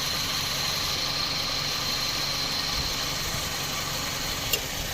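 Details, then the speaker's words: Toyota Vios 2007 at idle with AC engaged, after compressor replacement, full refrigerant-line flush, new filter-drier and expansion valve; original belt kept. Steady even idle with faint high whine on top, no knocks or rattles; cooling cycles normally. "หลังเปลี่ยนคอมแอร์ล้างระบบโดยไม่ถอดตู้แอร์นะครับไอเย็นตัดต่อปกตินะครับใช้สายพานเดิมนะครับ"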